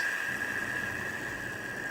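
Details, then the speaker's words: Cheap eBay DC PWM dimmer after about 10 minutes under full load: steady high whine near 1.7 kHz over faint hiss; switching noise from the PWM controller. "after 10 minutes custom it offers these things to make lots of noise"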